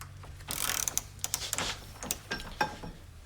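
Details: Pittsburgh Pro 3/8 in. drive composite quick-release ratchet (or new Craftsman) in a torque test, after holding 100 ft-lb: crisp even pawl ticks on the backswing with no skipping or grinding; ratchet mechanism healthy.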